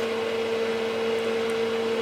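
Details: Keithley 228A 4-quadrant voltage/current source, just powered on outputting 10 V: steady droning hum with fixed tone and softer lower note under faint airflow; cooling fan is a bit noisy, louder than it should be.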